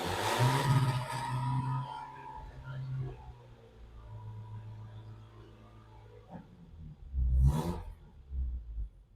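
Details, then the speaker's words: Yugo engine not run since 1992, TruFuel poured into the carburettor: catches and roars for a couple of seconds, fades, then fires once more; no valve ticking heard, first life since 1992. "Well, well, well, boys and girls, she's a runner. She is going to run."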